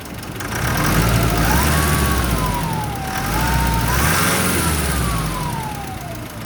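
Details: Nissan Pathfinder R51: a thin whistle rides over the engine, rising and falling with revs roughly 700 Hz to 1 kHz; suspected turbo whine, not confirmed.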